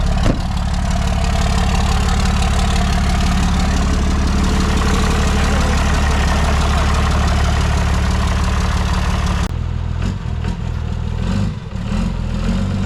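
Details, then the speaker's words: 1995 Ford F150 getting 2005 axles: heavy, lumpy idle with an uneven low pulse of three or four beats a second that shifts near the end. The engine is running rough, and the owner suspects a weak starter solenoid. "That thing sounds like a turd."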